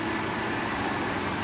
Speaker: Oh, look at that. It came on. Huh. Now there's lights on the front. I guess that was the problem. I don't hear the compressor though.